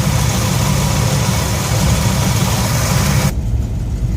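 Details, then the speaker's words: 1966 Ford F100 V8 shop truck after Pertronix electronic ignition upgrade: smooth, even low burble at about 750–770 rpm, within cam maker's 750–800 spec, no stumble or miss; normal idle. "i think this uh the cam manufacturer suggested somewhere between 750 and 800 so that sounds pretty good right there"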